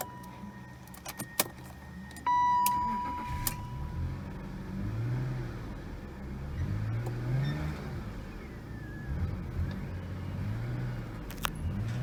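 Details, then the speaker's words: 2001 BMW E39 525i with intermittent start-then-cut-out: chime, engine catches with a burst then sags into uneven surging idle near dying; fuel delivery fault suspected, fuel pump and sender being checked. "so that's what is happening a little bit so it starts and then it dies"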